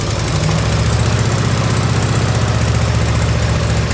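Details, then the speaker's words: 1990 Harley FLHTC Evo V-twin, cold start on choke and fuel reserve, heat shield off, after primary and clutch reassembly. Light, quick tick, about four a second, over a lumpy idle: exhaust leak at a crooked header clamp that needs tightening or shimming. "so an exhaust light right there on that clamp like it's hot quick though"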